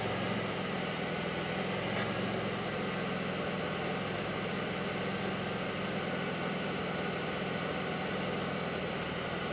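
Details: 2002 Pontiac Grand Prix 3800 idling with an uneven, lumpy note and an occasional faint thump. Owner reports bogging, intermittent thumping pulling idle down, alternator overheating and no check-engine light; cause unclear.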